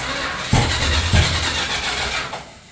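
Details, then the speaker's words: Stock 440 Mopar big block from a camper, in a Chevy K10, on first start after installing the biggest cam that fits: starter churns with a couple of surging half-catches, then dies, no fire. Timing adjusted and rechecked; possible flooding suspected; cause unknown. "Boy, this doesn't even seem like it's fucking close. We made some adjustments to the timing, so hopefully it fires it. We can't tell if it's maybe flooded or not."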